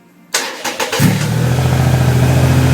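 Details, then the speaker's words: 2008 Triumph Rocket 3 after the starter relay mod, on a borrowed battery: single short starter spin, fires almost at once and settles into a steady, even idle; healthy quick start. "a that was quick that was quick all right be mind the mess now"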